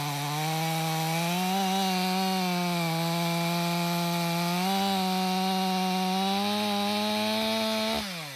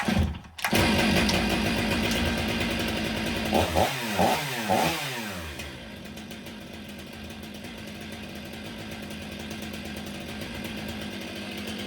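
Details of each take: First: Stihl MS 500i chainsaw (62 hours, stale fuel after long sitting), warm, after recalibration and fuel purge: strong steady buzz climbs slightly as the chain bites frozen wood, holds revs, then shuts off. Healthy under load; the fuel pump is believed to have been the main problem. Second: Stihl MS 500i chainsaw after repair: no hesitation or stalling, but a loping, uneven idle that sags and bogs, seemingly running rich. The owner suspects the computer is still compensating for a fuel pump that was not working properly.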